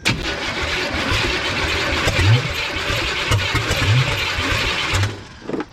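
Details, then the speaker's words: 1988 Chevrolet K1500 no-start: cranks steadily with good blue spark and fuel pump running, a few low pops scattered through that never catch; owner suspects timing off or lack of fuel; ignition timing too far advanced. "That little that popping uh makes me think timing is off or it might not be getting enough fuel."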